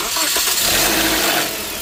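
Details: Toyota 1.8 L (Matrix/Corolla) after alternator replacement: engine cranks briefly, catches cleanly and settles into a smooth, even idle with no squeal or knock; belt routing correct; healthy start.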